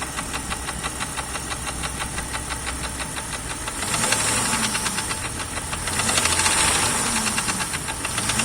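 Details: Jeep Grand Cherokee Laredo 4.0 inline-six (AMC 242), fully warm idle in winter, hard cold starts needing 5+ seconds cranking: steady light knock about three times a second over the engine; piston slap from cracked piston skirts.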